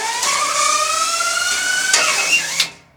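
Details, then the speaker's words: EAM-Mosca ROM-F Fusion strapping machine set for 8–9 mm strap, auto-feed after threading and closing: rising whir as the strap feeds up to the head, then a sharp snap as it shoots around the track; normal auto-feed. "that's the sound that we're looking for, is that. That means it made it up to the head and then it shot it around."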